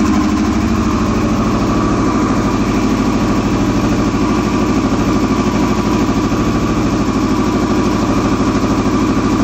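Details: 2001 Yamaha R6 idling rough: steady idle pulsing at a lumpy, slightly uneven beat about three per second; cause unknown.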